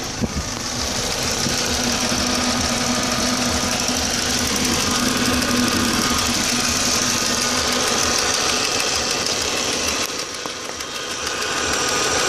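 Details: 2004 Audi A4 B6 1.8T turbo four, after a new water pump (cracked impeller, overheating) and new timing belt: uneven loping idle with a fast irregular patter on top. It is a rough idle, cause not pinned down.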